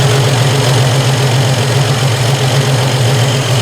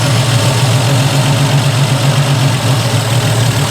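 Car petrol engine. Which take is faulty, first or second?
second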